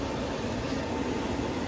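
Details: Castle Serenity pellet stove, new aftermarket convection blower just installed, tested hot on manual setting 5: steady, even rushing hum with a low drone and no ticking or scraping; convection fan running normally.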